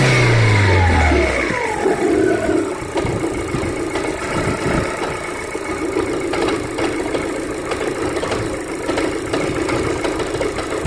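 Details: Daewoo Lanos with 190,000 km, about 1,000 km after an oil change: a steady ticking knock at about three per second over a rough idle, still present after a brief rev. The cause of the knock is unclear.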